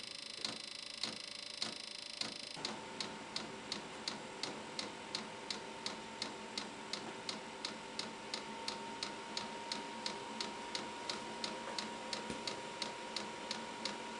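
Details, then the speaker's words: VEVOR Chinese diesel heater first test run on 12 V deep-cycle battery, startup after preheat: crisp even fuel pump ticking about three per second, fan hum starting partway; normal fuel pump pulsing. "after i shot it on the preheat time it starts to run and i can hear the fuel pump pulsing"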